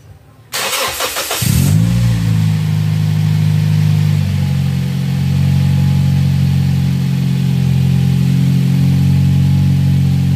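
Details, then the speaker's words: 2007 Toyota Vios Type G after fitting an open air filter and strut bar: brief crank, engine catches and settles into an even, steady idle with no hunting or rise and fall; idle sounds smooth and normal. "Untuk langsam atau idle itu kedengarannya halus, ya kan, nggak naik turun."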